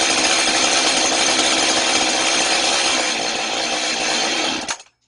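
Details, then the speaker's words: Chainsaw left running to use up its fuel before storage: high, buzzy idle steady for almost five seconds, then sags and cuts out cleanly as the fuel runs out; normal. "자, 지금 시동 걸어놓고 이제 기름이 없어서 지 혼자 저절로 시동이 꺼졌어요."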